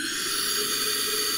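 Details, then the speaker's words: 2006 Suzuki DR200 with low compression (about 65 psi warm), on a leak-down test: a steady airy hiss escapes at the intake throttle, and air also leaks from the exhaust. Intake and exhaust valves are leaking. "I can hear air leaking out of not only the exhaust right here [Music] but I also hear air leaking out of the intake the throttle"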